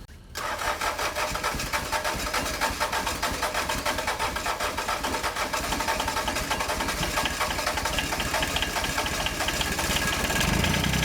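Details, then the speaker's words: John Deere 755 compact utility tractor, Yanmar 3TN diesel, first start after months-long rebuild: engine just caught and runs rough with a fast scraping tick over it; flywheel rubbing on its flywheel shield, which has a bend on top. "I don't know what's going on with this flywheel back here but it's not happy about something I think best I can tell it's just rubbing on the flywheel Shield"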